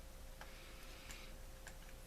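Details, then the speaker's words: Fishing reel pre-service check: faint, spaced clicks as line pulls off once the drag is loosened a little; the drag is working normally. "okay no drag yet let's loosen it up a little bit okay there you go the drag is working"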